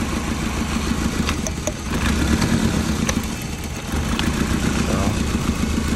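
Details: Toyota Prius with 267,000 miles: uneven, lumpy idle with a stumbling beat that never settles; no spark at one coil, running on three cylinders.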